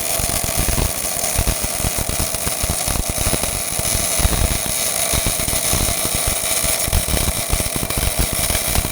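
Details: Old Miller-Matic 251 MIG welder at 21 volts and 366, welding pipe fittings: a steady crackling sizzle with fine, even popping and no sputter or gaps, a smooth short-circuit transfer arc; normal MIG welding arc.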